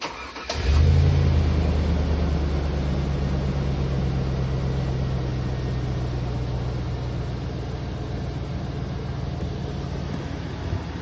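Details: 2002 GMC Sierra Z71 V8 catches quickly, flares briefly, then settles into a steady, even idle with no knocks or rattles.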